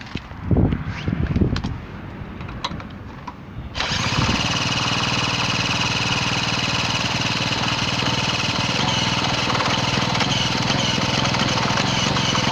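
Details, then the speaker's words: Garelli moped with apparent Laura M48 engine, started with a drill, no plug cap: rough two-stroke catches after cranking bursts and runs with a loud, raspy, spitting exhaust note from exhaust leaks. "hell's teeth look at those exhaust leaks right we've made the silencer our net curtains she runs up"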